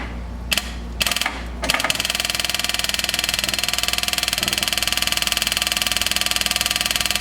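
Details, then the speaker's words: 1979 Chevy G20 van, sat 35 years: electric fuel pump ticks rapidly with engine off but pumps nothing; suspected clogged fuel line or tank switch valve not passing fuel. "Really pumping nothing. So there's a clogged fuel line, or that tank switch is clogged up and not letting the gas come through it. But you do hear it click. That's the fuel pump."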